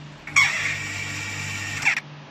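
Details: Household water pump starting: harsh high-pitched scraping squeal; with the fan cover removed, the motor cooling fan was found loose and broken.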